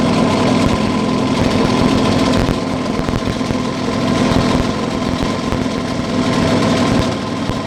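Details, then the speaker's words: Yamaha 9.9 outboard during carburetor idle adjustment, mixture screw being turned for smooth running: rough, slightly uneven idle with loose pulsing around three to four beats a second and buzzy rattle; motor tries to stall, mixture not yet set. "We set the minimum speed and now we screwing, or unscrewing, achieving smooth operation. The motor stalls, tries to stall."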